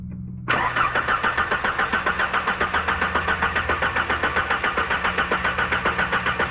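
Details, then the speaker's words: 1977 Ford Pinto Cruising Wagon with swapped 2.3 Lima engine: strong even cranking at about four compression pulses a second but never fires; cranks but does not start, fuel pressure to be checked. "crank's good I mean it cranks like a healthy engine"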